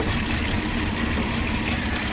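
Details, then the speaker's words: 2006 Porsche Cayenne with new spark plugs and coils still shaking: low, slightly uneven idle throb with a faint hiss up top and sound from the throttle body; owner suspects vacuum leak, misfire or throttle body issue, not confirmed. "New spark plugs, new coil plugs, and still is engine shaking."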